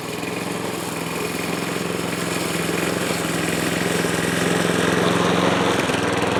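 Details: Yard Machines Gold Series (MTD) mower with pre-cleaned replacement carburetor, oil added to cylinder (smoking): putters unevenly while mowing, beat wandering and sagging; still running poorly, low compression.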